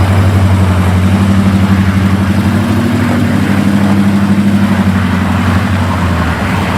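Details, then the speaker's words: Lumpy LS V8 truck idle with a fast, loosely regular tapping about four a second over the rumble; top-end valvetrain tick, suspected seized lifter in its bore from wrong lifters fitted with the cam. "Truck sounds like shit. What the f***'s going on? There's some fuckery going on, and we're going to find out what the f*** it is. What do we think it is? A seized lifter and its bore."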